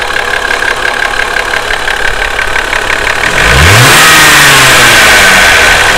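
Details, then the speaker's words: Toyota 2JZ-GE VVT-i, warm after five hard-driven miles, noise worse when hot: fast, even ticking following revs on the blip; owner first suspected VVT-i cam gear, turned out to need valve adjustment. "that's pretty bad so that's the noise I'm talking about listen noise I'm hopefully gonna be fixing here tonight"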